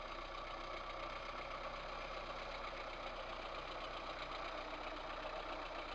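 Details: VAZ 2108 1.3 L engine at rough idle, light quick ticking knock about four per second; two valves found with large play in worn valve guides, valves themselves showing no felt wear.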